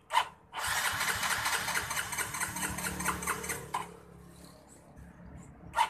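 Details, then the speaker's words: Yamaha Mio J fuel-injected scooter that will not start, with no fault code shown: the starter whirs about three seconds with steady chatter but the engine never catches. "kode mienya tetap tidak ada tanda-tanda Oh deteksi soal kerusakan jadi kita akan Oh istilahnya mencoba satu persatu mengecek Legends apa saja yang mengakibatkan motor Mio J ini posisinya tidak dapat dihidupkan"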